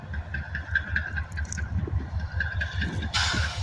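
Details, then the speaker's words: Union Pacific 7319, lead locomotive of a northbound manifest stopping near the yard: a faint low knock repeats two to three times a second under the idling diesel rumble; cause unknown, possibly piston trouble, not severe. "had 7319 has a slight knocking noise I'm not exactly sure what it's caused it obviously it's not bad enough for it to be"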